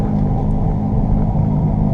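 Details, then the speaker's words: 2015 Jeep Grand Cherokee WK2 driving at cruising speed: steady low growl under road noise, seemingly from the driver's side front, easing in tone and loudness when turning right; suspected bad front wheel bearing. "if you can hear that growling it sounds like it's coming from the driver's side front and if i if i turn to the right notice how it changes tone and gets gets to be less"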